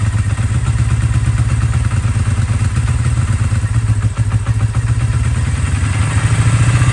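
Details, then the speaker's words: 1982 Kawasaki KZ305 twin, revived after sitting 30+ years and carbs rebuilt and synced, cold start after sitting a few days, fuel on, full choke; settles into steady even low thump, no misses or rattles — normal idle. "all right so cold start it's cold engine has been sitting a few days turn the fuels on choke all the way up start it"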